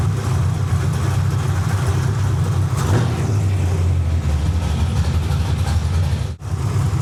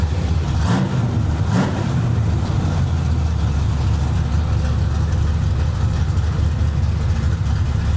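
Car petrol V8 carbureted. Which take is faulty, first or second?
first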